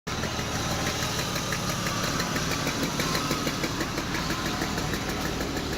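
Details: BMW E34 520i idling: sharp, steady metallic ticking about three times a second over the idle; a knock inside the engine, owner unsure of its source.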